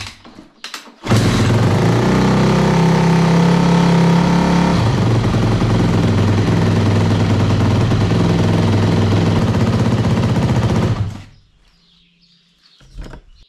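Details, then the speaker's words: 2005 Yamaha YZF 250 after new piston, timing chain and valve adjustment, run without exhaust gasket (pipes only butted together): loud, sharp, raspy chatter about four pulses a second, then shut off; exhaust leak at unsealed joint. "on i tak będzie dziwnie chodzić bo nie mam uszczelki na wydech"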